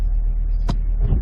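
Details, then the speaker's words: Chevy Camaro SS, 6.2L supercharged (title says 2015, speech says 2018), 61,000 miles, 8-speed A8 automatic, front collision history, no TCM codes, limp mode: deep idle rumble broken by one sharp thump shaking the whole car on engagement into reverse. Cause unknown. "boom see it the whole vehicle shakes"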